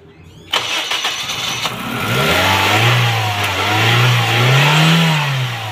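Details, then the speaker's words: Petrol car that would not start and shut off when accelerated: air pipe by the MAF sensor was off and drawing air; after refitting the pipe it cranks briefly, catches cleanly and idles steadily. "हमारी जो है ना इस वक्त start हो चुकी है बिल्कुल, और यकीन जाने कि सिर्फ एक मिनट का फॉल्ट था और कुछ भी नहीं था।"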